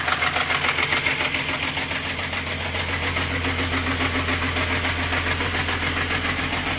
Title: VR6 ticking noise from cylinder head